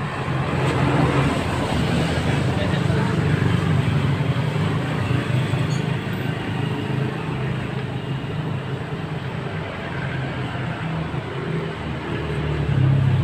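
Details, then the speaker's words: Mio Sporty scooter, which came in not running with a noisy torque drive, after carburettor check and bearing replacement: steady, even hum and low drone, no knocks, rattles or grinding; normal running. "so Ayan po mga boss balit na po natin it po niya mga boss so Ayun po mga boss Okay na po onong motor ni sir"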